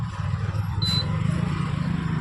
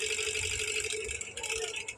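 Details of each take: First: Induction cooktop cooling fan after a fan noise repair, powered through a series supply: smooth low hum with no rattle or scraping, plus a short high beep from the cooktop; fan now runs quietly. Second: 2000 W induction cooktop, customer complaint of noisy, intermittently stopping cooling fan, switched on with metal on top: light busy rattle over the fan's steady hum; fan bushing worn, blade rubbing housing, interior heavily dirty.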